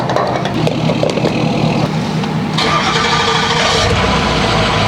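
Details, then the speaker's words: 2006 Ford 6.0L Powerstroke diesel, restart after filling a nearly empty tank with fuel: brief crank, then catches at once and settles into an even idle clatter; healthy quick start. "fired up great that's like the one problem that 60 have too is that that quarter tank issue guys"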